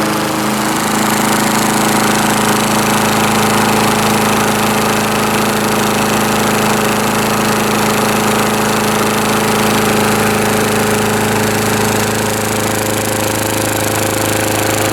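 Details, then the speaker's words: Lawn-Boy S21ZPN mower with a mid-1980s replacement Tecumseh engine, cold start with one prime at about half throttle: catches within a second and settles into a steady even drone; runs normally. "Alright, so this is a cold start. Hand on the block, stone cold."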